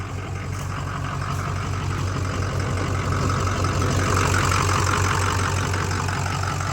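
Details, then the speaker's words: Ford 6.0 Powerstroke diesel with tune, after water pump and radiator replacement: heavy lumpy idle about three beats a second; cooling system pressurizes the cap, head gaskets blown. "my God yeah I'd say those head gaskets are fried no matter what we did pressurized the cap so these gaskets are blown dang who would have thought that could happen"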